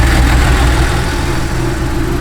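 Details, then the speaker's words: Porsche 911 SC Targa, parked about 8 years, not running on all cylinders, after injector cleaning and leaning the mixture: deep slightly lumpy uneven beat, still not quite right when revved though running differently; rough running. "you can still hear it's not quite running right when you give it a bit of a rev but it is running different"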